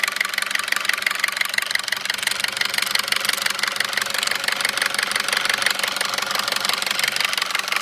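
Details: 2009 Audi A4 2.0T petrol, 82,000 miles, steady sharp knock at idle about three per second, loudest by the PCV; dealer found metal flakes around cam lobes and recommended a new engine; sluggish pulling away; owner wonders about sludge.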